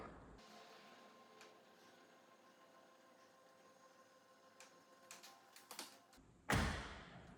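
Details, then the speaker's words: Motorized overhead window closing slowly after the blind: a faint hum and light ticks, then one solid clunk as the window seats fully shut, as normal. "You see it's closing. When it's finished, you'll hear a nice clunk."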